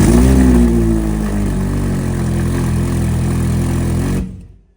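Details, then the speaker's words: Ferrari 458 with premium aftermarket exhaust whose flex pipe disintegrated, heat shielding and insulation stripped off both sides: revving V8 with rapid rough puffing chatter out the side under the exhaust note, then shut off; exhaust leak. "Yeah, you can hear it puffing out the side. There's no insulation both sides."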